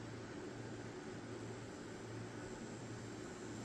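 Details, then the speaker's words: Wormhole rotary tattoo pen from an unboxed kit, run on a power supply at about 5 to 8 volts: soft, even motor hum with a steady low tone and no rattle; it runs smoothly and quietly. "Okay. You can't even hear it."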